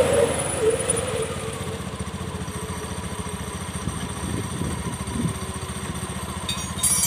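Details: Honda Beat FI scooter after repair of a clattering ("kletek-kletek") CVT/final-drive fault: test run with an even, steady putter and no knocking from the drive; CVT sounds healthy.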